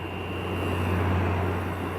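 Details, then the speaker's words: Kool King window air conditioner running under high load, room at 71°F; a thin, steady high-pitched whine sits above the low running hum and is audible from far away. "whenever it's under like a kind of a high load, you can hear it from all the way down there. And coming around the corner, you can even hear this thing. The high-pitched noise."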